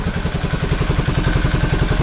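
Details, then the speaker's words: 2003 Suzuki Burgman 400 scooter revived from junk, muffler refitted, only an oil change so far, original plug, valves still need adjusting: steady, even single-cylinder putter at a quick idle with regular pulses, no knocks or misses; normal idle. "It's actually running, which shocks the heck out of me. Seems to be running okay."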